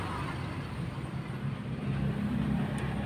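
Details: Honda Civic LXi with long cranking and check engine light. Started after clearing the circuit high code (P0188), no trouble code returning. Quiet, even hum settling to a steady idle, no stumble: normal idle after start.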